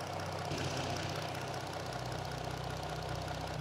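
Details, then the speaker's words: 2018 Chrysler Caravan minivan, 75,000 miles, check engine light on: V6 idles with an uneven, slightly lumpy beat from a misfire on cylinder 3, while scope shows all three coil packs firing similarly. "You can see all three coil packs basically are firing similar, but we only have the miss on the number 3 cylinder."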